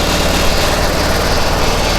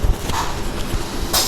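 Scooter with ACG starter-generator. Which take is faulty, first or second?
second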